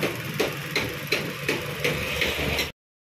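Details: Maruti Suzuki Baleno brought in for misfire, poor pickup and engine vibration with code P0300: the note stays even through regular surges about every third of a second with no stumble or skip; it fires cleanly.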